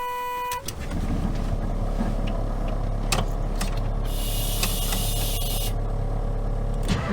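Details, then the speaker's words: 1977 GMC motorhome started cold after months sitting under cover in winter, usually hard to start cold: starter engages, catches first try, settles into a steady low rumble without stumbling; normal cold start, ran better than usual. "she started first try okay so we warmed her up she ran great actually better than she usually does unless it's nice warm weather outside"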